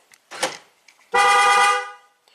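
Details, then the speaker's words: 2006 Pontiac GTO V8, 36,000 miles, with an intermittent no-crank immobilizer fault (code B0002, earlier BCM water damage). Doors are closed and lock is pressed; a short burst then a steady, clear horn chirp about a second long as the system arms. Its meaning is uncertain. "it'll give a triple beep, which I don't know. Does that mean the key is still in the car?"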